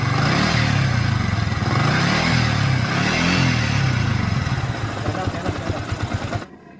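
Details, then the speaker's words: Yamaha Vixion single-cylinder engine before rebuild: harsh, gravelly clatter over the beat that swells with revs; worn balancer shaft bearing, replaced during reassembly. "sound Nah jadi seperti itu kendalanya langsung saja kita ke tutorial perbaikannya sekaligus kita tutorial untuk pemulat proses perakitannya setelah kita ganti bagian bearing balancernya"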